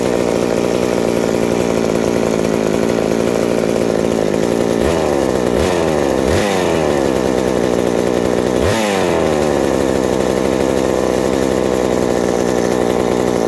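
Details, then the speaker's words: McCulloch 790 MC101 chainsaw with ignition chip and Walbro WB37 carburetor on a made adapter, bar and chain fitted: steady idle, slightly lower with the chain, with clean throttle blips. Normal running and idle. "oh so as you see after putting the bar and chain on it the idle drops slightly but it's perfect right there the chain just bumps forward a little bit and everything"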